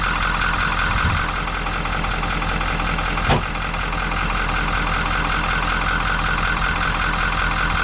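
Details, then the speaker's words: 2019 Ford F350 6.7 Powerstroke, 88,000 miles, cold start idle, smoke from oil cap, cap rattling/lifting; excessive crankcase pressure from clogged CCV filter, running rough, oil and smoke from exhaust, turbo damaged. "got quite a bit of smoke coming out the oil cap dances this is a cold start"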